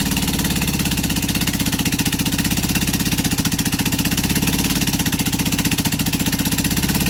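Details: Rebuilt LADA RX engine, possibly 1.8L with a new camshaft, running with no exhaust, just the manifold. Only one spark plug is connected, so it runs on one cylinder. Loud, choppy, uneven popping at idle with a lopsided beat and raw bark; it still needs valve, carb and ignition adjustment.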